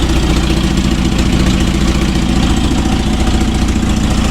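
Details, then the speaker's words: Toyota RA40 Celica with 22RE petrol engine, cold start in freezing weather after fixing the starting issue: starts straightaway and settles into a steady, even, deep idle with no misses or knocks; normal cold idle. "awesome she started up straightaway um I'm pretty happy with that that was definitely the issue yeah well she's running really well considering it's freezing cold out here"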